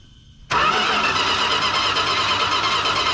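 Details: 1968 Chrysler Newport with a points ignition: steady whirring crank that never fires while the owner watches the points for spark; he suspects weak sparking and that new points may be needed. Cause not confirmed.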